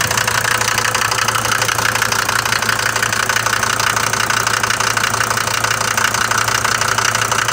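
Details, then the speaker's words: Mercedes diesel from Libya, cold morning idle: hard, fast metallic clatter about three per second, steady throughout, louder than the usual knock of these engines; owner bought it this way, cause undetermined. "هو مشكله المحركات الديزل هذ المرسيدس فيهم الطقطقه هذه لكن مش بالصفه هذيه الموجوده ت عند خونا هذايا من ليبيا"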